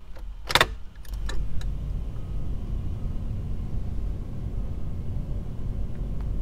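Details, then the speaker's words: 1981 C3 Corvette, key on run with the fan switch off: a steady low blower whoosh keeps running when it should be stopped; unplugging the fan relay or speed resistor stops it, a common 1977-82 constant-heat problem. "That is a fan. This is off. I left the ignition on. You can hear it."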